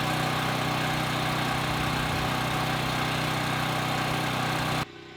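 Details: Westinghouse WH7000EC 7000 W gasoline generator converted to natural gas with a US Carburetion type C kit, just started: steady, even drone at constant speed with no misses or knocks until it cuts off; runs smoothly.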